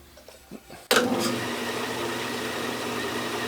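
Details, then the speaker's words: Porter-Cable bandsaw after Carter blade tension quick release lever install; switch click then smooth, even motor hum with no knocks, rubbing or wobble, running normally. "But this works great, spins really well, runs well, and I'll turn this on and let you see and hear how it runs."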